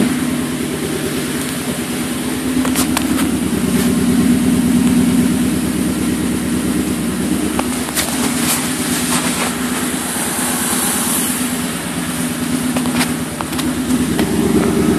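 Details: 2002 Ford Mustang GT V8 idling right after a timing chain, guides and tensioners replacement (cams not removed); pretty horrible, uneven stumbling misfire at idle, run briefly with fan off and weak battery; owner suspects cam timing off a tooth or 180°.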